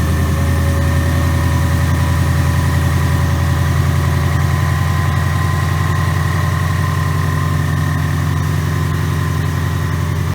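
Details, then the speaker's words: 2019 Mustang GT with Whipple stage 2 supercharger (3.875 pulley), first start of a new built engine replacing one with a broken piston and melted catalytic converters, breaking in on BR30 oil: steady even V8 burble at idle, no ticks or knocks; runs smooth. "this thing is running super smooth guys guys this thing is awesome"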